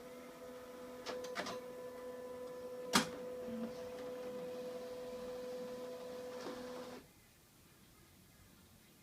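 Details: HP scanner: steady motor hum, then a loud harsh screeching burst as the automatic document feeder pulls a page, followed by short beeps.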